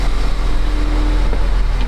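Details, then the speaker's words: 2015 Ford Escape at idle after the intermediate pipe, resonator and muffler swap. A low, soft, steady hum with no rasp, ticking or blowing at the joints: a normal, quiet exhaust. "before we take this off we should see what it sounds like I'm sure it's quiet"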